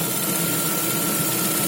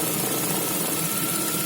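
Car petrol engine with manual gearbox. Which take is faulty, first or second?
first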